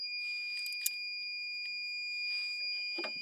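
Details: Starter solenoid/relay from a 1999 Fleetwood American Tradition Class A RV bench-tested with meter on continuity: one unbroken high beep while energised, relay latched with contacts closed.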